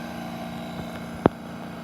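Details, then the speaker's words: 1960 Hotpoint R22 window air conditioner, low on charge after sitting 10–15 years, compressor heard with the fan jammed: a low, even, really quiet hum with no knocking or rattle, only one stray tap; compressor running smoothly, guessed at about 1700 rpm. "so jam the fan up so we can hear the compressor it's really super quiet"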